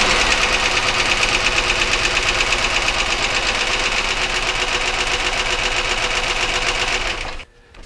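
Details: 1999 Chevy Malibu 3100 V6 at idle during a cylinder drop test, plug wires pulled one at a time: a sharp, fairly regular tapping at about three per second until shutoff. Internal knock, source not yet pinned down.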